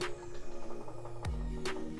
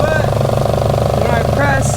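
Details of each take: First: Nissan S14 with 1JZ VVT-i swap, crank sensor unplugged for dry crank to fill oil lines and coolers. Starter turns the engine at an even, steady rhythm with no knocks or grinding. Normal dry crank. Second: 1JZ-VVTi swapped Nissan S14 240SX with CD009 gearbox, BC 264 cams and Borg Warner turbo, first start, warmed up: steady rubbing rasp over the idle, the harmonic balancer scraping the front timing cover.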